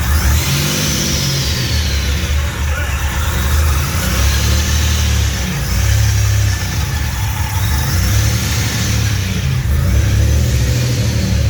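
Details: Fully built 3800 V6 race engine on its first start after the build, fresh coolant fill: deep, even exhaust rumble swelling and falling with each throttle blip, no knocks or ticks, no leaks; normal revving.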